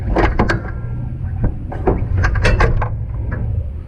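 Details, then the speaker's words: Old Willys CJ-2A flat-fender Jeep's broken F-head engine: low rough rumble with irregular sharp clanks and rattles, no steady rhythm; sounds really bad, heavy mechanical knocking from a badly worn motor. "uh it has an f-head motor that is broken"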